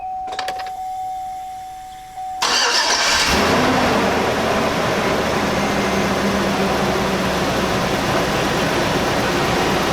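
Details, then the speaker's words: Chevy Suburban with P0641 after repair, MAP sensor plugged back in: quick crank, catches cleanly and settles into a smooth steady idle with no stumble or shake; check engine light still on, not cleared. "No shakes. Well, no shakes any more than normal. Let me give it some gas, see if I have any problems."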